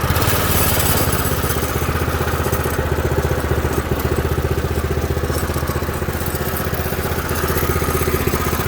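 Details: Baja Doodlebug minibike with a newly swapped Predator 212 engine and stock exhaust, after choke start: the small single-cylinder runs steady and even, regular firing with no misses, knocks or hunting. Normal running.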